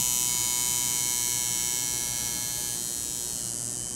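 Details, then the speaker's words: Coil tattoo machine run dry on a digital power supply with the voltage turned down too low: a fast, even high buzz that softens and drops into a fine metallic rattle or ping, meaning underpowered. Turn it up slowly until that just stops. "you want to turn it up slowly and tell you hear it starts a rattle or vibrate like that that real fine metal pinging that's too low"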